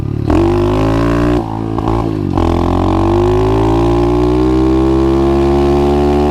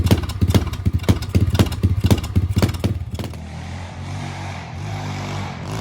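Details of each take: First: 125cc pit bike with new 26mm Nibbi carburetor after jet and adjustment changes: small revs with rising buzz, drops back and keeps running without bogging or dying at slowdown; normal running. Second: 125cc pit bike with newly installed 26mm NIBBI carburettor, choke off, on a test ride: single-cylinder thumping that falters and flattens into a dull drone as throttle opens, bogging off idle; owner suspects it is not getting enough fuel, jets later enlarged.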